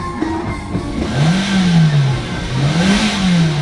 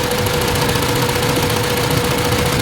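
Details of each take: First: Hyundai Elantra, warm, after computer box repair for no-crank no-start and hunting rpm, scan clean: engine sweeps up toward 6,000 rpm and back twice, clean and even, no misfire or hunting; normal revving. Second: Hyundai Elantra after computer box repair for no crank no start: uneven idle with faint shake and steady tone; dropping one cylinder barely changes it, its spark plug soaked in oil, causing misfire and shaking.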